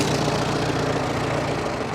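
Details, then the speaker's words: 1945 Farmall H tractor, long sitting, running: smooth, very quiet, even idle with no misses or knocks; normal idle. "I'm sorry what that's it this thing is so quiet I didn't even think it was running"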